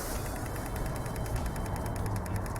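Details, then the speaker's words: Common rail 2.0 diesel with P0088 (fuel pressure too high) code: pressure control valve pulsed from a generator at about 18 ms, 39% duty; quick, even ticking about ten a second over low hum, valve switching properly. "wiem czy to słychać Myślę że słychać I w ten sposób jeżeli podłączymy sobie jakikolwiek generator to urządzenie które możemy sobie wysterować impuls-it to już wiemy że to coś działa"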